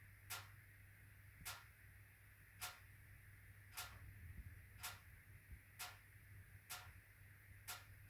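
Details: HWAM Wiking Mini 2 wood stove, during the burn: sharp, loud ticks about once a second over a low steady hum, ticking and banging through the burn cycle; owner suspects the bimetallic coil spring hitting a mechanical stop.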